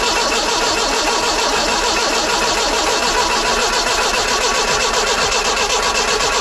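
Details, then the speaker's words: 1968 Datsun 510 after fitting new spark plugs and a new fuel pump, healthy battery: steady cranking about four beats a second, never fires; cranks but won't start, owner suspects new fuel pump still priming. "huh not working obviously feeling it How Bizarre healthy battery well it was probably not gonna be now might take a little while for the new fuel pump to Prime"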